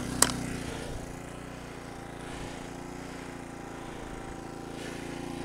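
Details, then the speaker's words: 1000 watt Sportsman quiet generator started on choke with one pull, heard up close in economy mode: smooth, steady low hum with no surging or misses; idling cleanly. "can hear her up close, running nice and smooth. Now that's on economy mode."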